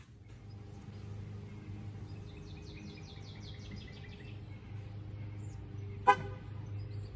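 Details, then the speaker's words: 2013 Ram (Chrysler) key fob with dead buttons, repaired by taping the contact button in place: quiet outdoors then a short sharp horn chirp as the truck answers; fob working after the fix. "So now that we know it works, we'll clean this up, put it back together, and be on our way."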